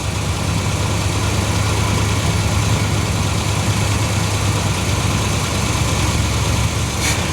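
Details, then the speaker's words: 1970/1971 Cadillac convertible V8 sitting about 20 years, started on an added electric fuel pump: smooth, steady deep idle with no stumbles or tapping while water steams off the engine; normal idle. "There we go. That's a good running engine."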